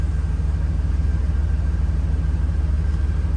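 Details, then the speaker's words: Engine started after fixed heater hose lines, reassembled valve covers and an oil change (six quarts with filter). Steady, even idle pulse about three beats a second, no knocks or misses; running smooth and healthy. "and we're going to start her up I should have everything good to go [Music] yep we're running like it should"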